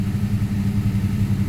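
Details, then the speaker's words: Turbo V6 Mustang with years of stalling and a check engine light, oxygen sensor just replaced and keep-alive memory reset: low, lumpy, uneven idle with wavering loudness and a messy air/fuel ratio. Cause not pinned down. "you can see my air/fuel ratio it's kind of a mass at idle"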